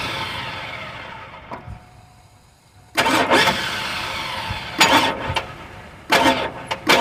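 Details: 2002 Chevrolet Avalanche, Vortec 5.3 V8, failed on cold start; short bursts of starter cranking with quiet gaps, engine never catches or fires: crank but no start.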